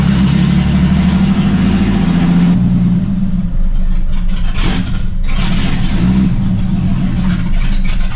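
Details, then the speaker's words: Jeep XJ that runs smooth but won't idle, before exhaust repair: holds revs on throttle, then sags, stumbles and cuts when throttle is released; owner suspects the exhaust. "I can get it fired up I can get it held in rpm but as soon as you let off and stop babying the throttle it'll cut"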